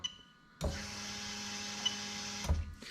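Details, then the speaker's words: Lexus LS400 1998–2000 1UZ-FE VVT-i engine on a standalone harness, fuel pump switched on via OBD2 through the ECU. A steady electric whir holds for about two seconds, then cuts off cleanly; normal fuel pump operation. "so again you can see i'm completely controlling the fuel pump from the obd2 machine so you can see straight away that it's actually being controlled by the ecu right so that is the fuel pump"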